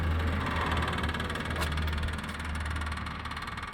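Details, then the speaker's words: 2003 BMW X5, rear air suspension with one side leaked down, compressor triggered by opening a door: low steady chugging about four beats a second under faint creaks as the rear slowly lifts. Owner suspects the valve body; a new one is ordered. "there's the sound of the air pump sort of chugging away there and as you can see I'll see if I can hold it steady it is slowly coming up"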